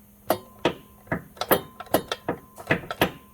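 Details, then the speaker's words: Used Corolla engine (90,000 miles) being fitted into a Pontiac Vibe, torque converter bolts caught then backed off almost a full turn: sharp hollow clunks about every third of a second as the loose converter knocks against the flex plate. "you hear you hear that clunking so basically the converter is loose on the flywheel"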